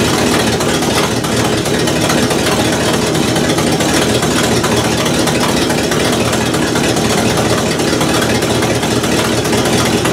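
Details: 1968 Buick LeSabre V8 at steady idle after engine repair, previously abandoned with no oil pressure and leaking head gaskets; valve cover off, oil pressure good, head gaskets holding, temperature stable; even idle, no knocks or misses, healthy.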